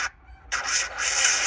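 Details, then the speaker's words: VCR playing a VHS-C tape: a squeak, brief pause, then a harsh, hissy scraping rubbing on continuously before the VCR shuts down; tape dragging in the transport, player or tape at fault, unclear which. "do you have VHS SE tapes and when you put them in a VCR or one of a few things can happen but you hit play you hear squeak and then you got this going"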